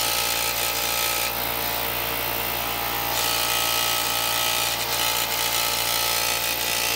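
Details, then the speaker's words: Harbor Freight 125 psi, 2.5 hp, 21-gallon air compressor fitted with a 3D-printed intake muffler: steady hiss and hum with constant mechanical chatter, intake noise significantly reduced, but it still vibrates heavily and remains mechanically loud. "few seconds just to see what the sound difference is and it has silenced it significantly"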